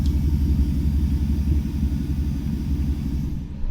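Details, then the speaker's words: Mercedes M119 V8 after a year-long engine swap, running on a short open exhaust with only the cat section and no muffler: deep, loud, lumpy burble with steady low pulses, no rattles or ticks; healthy normal idle. "i like the sound that's the cat section that's not even that's not even having the muffler section on there"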